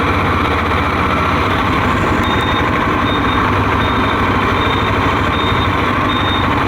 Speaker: I deliberately left my indicator on, and you can hear the beeper even with wind and engine noise.